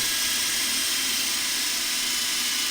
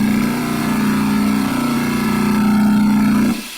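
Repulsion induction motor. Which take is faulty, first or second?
second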